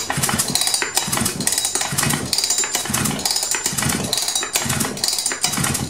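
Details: Husqvarna 359 chainsaw (about 59-60cc) that won't start, pulled with choke on: quick, light rope pulls with soft, even puffs and no firing; turns over too easily, indicating low compression.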